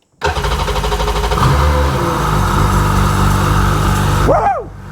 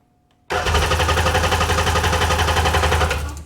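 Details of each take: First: Sea-Doo GTX DI 951 Millennium Edition, rebuilt engine, after the fuel pump was pulled and checked and the tank refilled: catches quickly, revs up strongly, then drops to a smooth run. Normal start after the no-start fix. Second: Sea-Doo GTX DI 951 with rebuilt engine: about three seconds of steady cranking that never fires. Crank, no start.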